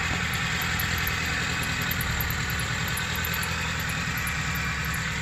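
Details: Proton Wira 1.5 MMC with a no-start fault traced to a bad ground on the main relay wiring, heard after the fix: a steady, even idle with a smooth low churn and no misses, knocks or hunting.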